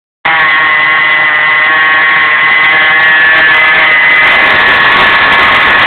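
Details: LS1 V8 with a steady high whine rising slightly with rpm, present hot or cold, unaffected by steering or AC; dry static idler pulley between power steering pump and alternator, fixed by re-greasing.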